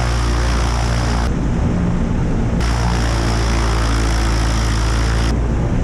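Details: Aviat Husky aircraft engine on its second run after rebuild and overhaul following submersion: deep, even propeller drone with a steady low throb and no misses or knocks; idling smoothly.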